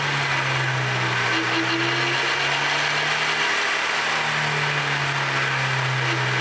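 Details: Vehicle under acceleration: steady low-pitched whine over road and engine noise that swells on acceleration, coming from defective differential drive pinion bearings.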